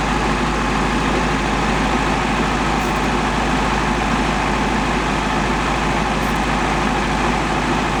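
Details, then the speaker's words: 1954 VW Beetle air-cooled flat-four idling with a faint uneven beat; compression test found one cylinder under 50 psi versus at least 100 expected, suspected rings, scoring or valve sealing, second cylinder being checked to verify gauge. "So, we'll probably put it on this cylinder and we'll see what compression we get on that. But, we weren't over 50 lbs and we should be up around at least 100."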